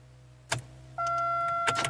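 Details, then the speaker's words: 1999 Pontiac Grand Am: a sharp click, then a steady electrical whine with a few more clicks, turning over only a little before stopping, as if choked out; failing starter, which later died completely. "It's kind of a click and then it stops. And it kind of goes over a little bit, but then stops. So it almost sounds like it's kind of just getting choked out."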